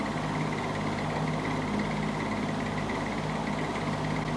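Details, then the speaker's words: Old fan "Rusty Bob" running in reverse after about an hour: steady hum with a faint, thin high chirp coming and going; owner suspects compacted felts, likely dry or worn motor bearing; bearing chirp. "Seems to be not making any chirping noise or anything like that. There's a little of that noise."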